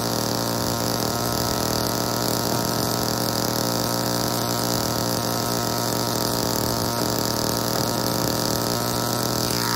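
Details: Old Homelite chainsaw, owner guesses 1960s or 1970s, just revived and started with choke off; steady high two-stroke buzz holds even without dropping out; runs normally, though the owner says it could be tuned better.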